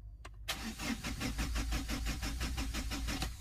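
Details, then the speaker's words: Mahindra Xylo diesel: starter cranks steadily at about three compression strokes a second for three seconds and the engine never fires; dash lights and electrics check fine, and the mechanic suspects a blown signal fuse or fuel-line air. "এবার যখন আমরা গাড়ি start করতে যাচ্ছি কি হচ্ছে"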